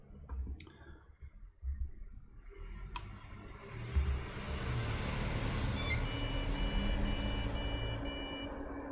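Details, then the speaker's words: Custom gaming PC with memory moved to another slot: one high chirp, then five short even beeps instead of the earlier four beeps; POST error code, meaning unknown. "okay so it's it's doing a high-pitched beep and then five beeps whereas previously we were just getting four beeps"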